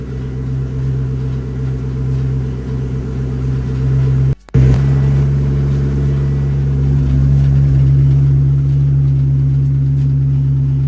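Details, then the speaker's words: Supercharged Coyote V8 swapped SN95 Mustang, in park after transmission reinstall: steady deep idle with faint uneven metallic buzz on top; rattle initially chased as transmission, torque converter or flexplate, turns out to be loose exhaust hardware rattling. "Something's rattling. I don't think there's anything in the pan."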